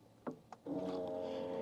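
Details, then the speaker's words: Battery-powered Bouge RV portable tankless camping water heater at startup: a couple of sharp igniter clicks, then the pump settles into a steady hum and the flame lights cleanly, a normal start. "and there's the pump there you can hear that as well so you can hear the igniter and there it is flame is lit"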